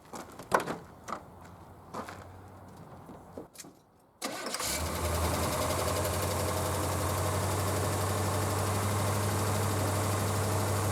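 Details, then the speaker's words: 1982 Corvette revived from storage, oil topped up after being found low, started to warm up. Handling sounds, then it catches at about 4 s and settles into a steady, even idle with good oil pressure: normal. "It's running good. Got good oil pressure."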